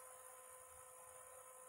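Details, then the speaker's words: PlayStation 2, previously grinding and not reading discs, after fix with laser lens cleaned and laser tracks lubricated with white lithium grease: quiet steady disc whir with faint hiss, no grinding or clicking; disc drive reading normally. "it's working i don't hear any grinding oh it's playing the disc it's spinning up i hear no grinding sounds no bad noises all right it's it's definitely playing the disc now without any noise"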